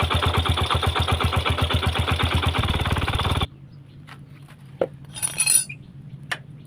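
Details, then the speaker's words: Yamaha Jupiter Z motorcycle idling with a loud rough tok-tok knock from a worn, loose clutch, not the connecting rod or piston; oil drained to open the clutch, fixed with a ring shim. "Ini suaranya suara tok-tok seperti ini di bagian koplingnya teman-teman."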